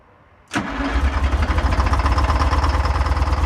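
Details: Detroit Diesel 6V92 two-stroke bus engine, cold start during a Seafoam injector-cleaning hot soak: fires up to a lumpy, uneven low throb, running rough with unburnt diesel coming out.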